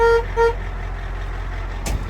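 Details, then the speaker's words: International diesel dump truck, stock horn sounded at idle before replacing it with a tankless air horn; two short thin honks with little punch, lost under the idling diesel; weak horn, cause unknown. "the horn is just absolutely terrible let me let me show you what it sounds like here so here's the horn it's not very loud um i don't know if you can hear that"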